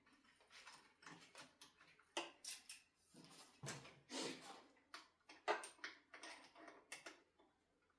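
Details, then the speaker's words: Ducati Monster 1100, loosening the fork pinch bolts during a steering head bearing service: sharp creaks and squeaky groans in bursts as the over-tightened, poorly lubricated bolts break free. Dry over-tightened pinch bolt creak. "This is the sound of over-tightened and poorly lubricated pinch bolts."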